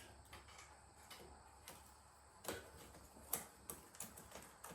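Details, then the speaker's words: Schwinn 21-speed bike left outdoors since 2017: irregular dry clicks and snaps as the cranks turn. Rusted, stiff chain links are catching on the sprockets, and the chain may need replacing. "now the reason that's locking up on me is I've got links that"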